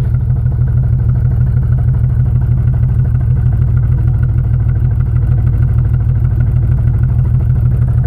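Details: 1996 Jeep Grand Cherokee Laredo straight six 4WD: deep, lumpy exhaust pulse at idle with an irregular beat about three per second, engine shaking and running rich, all cylinders misfiring; cause unknown.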